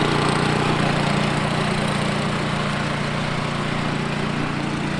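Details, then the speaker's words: Low-hours Ariens 28 Deluxe snow blower (921046) that sat two years: steady low drone at an even pace with no stumbling or surging while warming up; normal running. "yeah i'm gonna let that warm up for a little bit uh run it through his faces"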